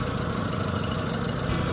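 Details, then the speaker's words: Engine misfire demonstration: with spark plug lead number 4 pulled, the low, slightly uneven idle stays the same, showing cylinders 1 and 4 are dead. Next step is testing the spark plug or plug cable with a Phillips screwdriver against metal. "Okey, enjin dalam keadaan yang sama. Jadi kita boleh nyatakan yang silinder nombor 1 dan silinder nombor 4 bermasalah,"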